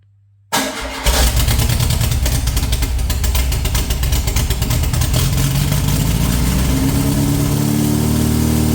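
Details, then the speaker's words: Air-cooled VW flat-four rebuilt from parts, unknown when last run, float bowls hand-filled, throttle held open: fires and picks up, running rough and uneven at a steady throb; catches but can't hold idle unaided. "Very close. It's like like it just who knows when this thing last run."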